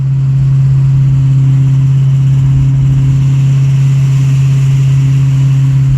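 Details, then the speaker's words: 1997 Mustang GT with a newly fitted used engine, driving uphill under load: a heavy drone with a coarse, uneven low rumble and a lot of knocking; engine knock suspected, and the engine is to be replaced. "and i did take the car for a little drive and going uphill you can hear a lot of knocking when it's under"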